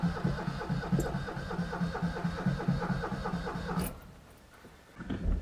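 Starter churns at about two turns a second for nearly four seconds, never catches, then stops: cranks but won't fire.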